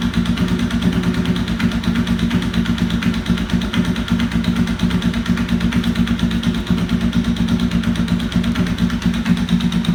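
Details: 1992 Honda VFR750 V4 idling loudly: steady firing beat with a sharp, regular ticking/knocking pulse; exhaust header leak because two header bolts were missing from the front cylinder head and part of the casing had sheared away.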